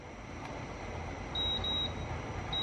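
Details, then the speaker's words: Electric kettle with a touch panel that powers up and shows 24°C. It gives short high beeps but no relay click follows, so the heater relay never closes; the cause is unknown. "là như này nó lâu nhưng mà rơ le không đóng rồi Mày nghe thấy tiếng tít bây giờ"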